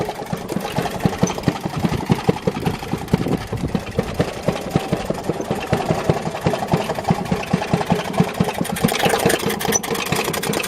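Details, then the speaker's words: Maytag Model 92 single-cylinder kick-start washing machine engine with exhaust muffled in water; soft even putting, still smoking: muffled exhaust, engine sounding barely running. "like it's just barely running, doesn't it? That's how it would sound if you had the muffler going out to the a long ways outside."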